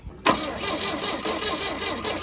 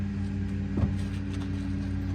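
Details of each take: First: 1971 Volvo 142 with a B20B, one owner: the starter cranks steadily but the engine never catches; spark is confirmed using a Pertronix Flamethrower coil in place of the old coil, which measured 6 ohms, but no fuel is reaching it. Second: 1971 Volvo 142, B20B engine, with its 32/36 carburettor after one more adjustment: a steady, even low idle with one brief bump, settled and running smoothly. Normal idle; now a driver.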